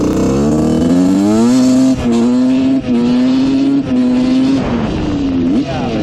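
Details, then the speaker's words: Honda CR125 two-stroke dirt bike (1986/1987) bought with a horrible bog, after rejetting: revs climb and drop crisply and cleanly without stumbling or bogging; pilot jet was the cause, now running almost perfect, nearly out of gas. "all right this thing is running almost perfect now um it doesn't break up at all it's really nice"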